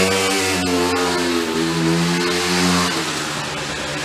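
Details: Vintage sprinkler blow-out air compressor's small single-cylinder engine: holds a steady, even bark under load without stalling or surging; normal running.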